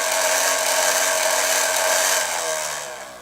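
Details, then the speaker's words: Fisher-Price Cradle'n'Swing drive motor running full speed with the optical speed-sensor wires removed: high steady whine for two seconds, then winding down as it coasts; this is the crying noise heard at startup. "I don't know what this does actually but I found that once you remove those the motor goes full speed okay like so"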